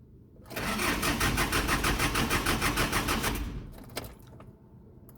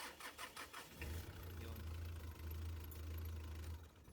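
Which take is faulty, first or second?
first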